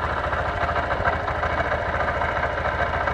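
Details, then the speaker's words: 2023 Honda CB125F single-cylinder, warming up at idle before an oil and filter change. No oil is leaking from the valve cover, and the idle is even and smooth with no rattle or knock. Normal idle. "it sounds really smooth too"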